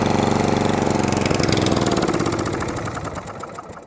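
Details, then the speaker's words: Atco Balmoral 20S cylinder lawnmower that keeps cutting out: after adjusting the jet under the carburettor bowl, the single pops unevenly about four times a second, then sags and fades near stalling. It still wants choke and too much fuel, and a carburettor clean is suspected. "Right, so even with adjusting the jet, it ran a bit better off choke. But it still likes to have a bit of choke."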